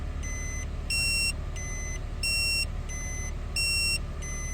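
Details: Toyota/Lexus factory dashcam beeps nonstop with alternating low and high tones shortly after vehicle startup, warning that its micro SD card is missing or incompatible; fix is replacing it with a compatible card of 32GB or less.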